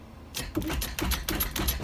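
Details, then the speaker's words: Integra, no crank no start: battery at 11.9 V, below the 12 V needed, with a brand new alternator fitted; quick irregular starter clicking about two seconds, never catching. Owner suspects a power drain or bad ground, not confirmed. "See how it almost turned on? The only reason it's not the ignition. The only reason that's starting because it doesn't have enough power."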